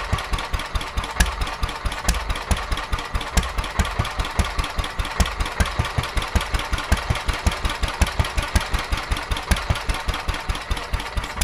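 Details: Petter A11 (A1 series 2) single-cylinder vintage stationary engine, owned 12-13 years, sat damp in a container for four years; quick steady thumping but slightly uneven; rough running, owner suspects fuel starvation from dirt in the carburettor.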